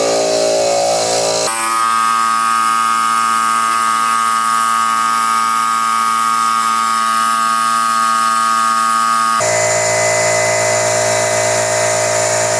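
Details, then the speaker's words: 2 hp, roughly 25 L air compressor bought in 2017 that would not build pressure, after replacing the reed/flapper valve and one-way valve: a steady, even motor drone with no knocking or leak hiss. It now builds up and stops automatically. Normal running, fixed. "kita niyo Ayos na di ba nag-build up na siya Tapos humihinto na ng automatic so Naayos na siya"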